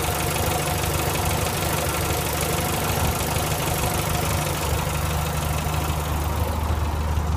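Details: 1965 Morris Minor four-cylinder after owner rebuild (stripped engine, valves ground in, new gaskets, gearbox, clutch, mounts): steady, even low idle with a smooth unbroken beat and no knocks or misses; running sweetly.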